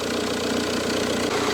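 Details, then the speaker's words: Car idling with coolant system flushed after oil in coolant, slow to start when cold: steady idle with rough rattly chatter from front accessory drive; belt tensioner suspected, moves a lot. "No sé si apreciáis el sonido apreciáis el sonido suena el tensor escucháis suena el tensor va a ser el tenso"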